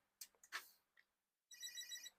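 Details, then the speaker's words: Commodore PET powered on, booting to Commodore Basic 4.0 with 31,743 bytes free. A couple of switch clicks, then a bright, steady high-pitched chirp lasting about half a second; normal power-on chirp. "listen to that beautiful sound. And there it is. Commodore Basic 4.0, 31,743 bytes free."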